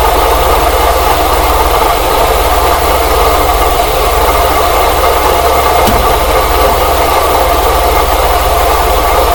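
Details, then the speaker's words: Engine at idle, listened to with a funnel and rubber hose: constant rough whirring hum over the engine beat; owner first suspected the tensioner pulley, oil spray changed nothing, now suspects the water pump bearing though its pulley shows no deflection. "sounds like the water pump definitely sounds like it's the water pump H but I don't have any deflection on the pulley though"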